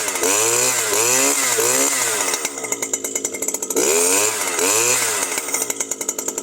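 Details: New Stihl FS 120 two-stroke trimmer that wouldn't start after break-in, running after its faulty spark plug was replaced: revs up and drops back cleanly, crisp and even at high speed, with no misfire or stumble.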